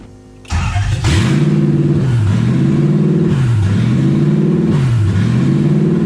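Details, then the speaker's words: Toyota 1UZ V8 in a Ford Falcon, no exhaust fitted, oil pressure 90+ psi; high idle hunting about every 1.5 s; owner suspects idle air control valve, possibly vacuum leak, didn't do it on engine stand. "It has an idle problem that I need to figure out. It might just be the idle air control valve."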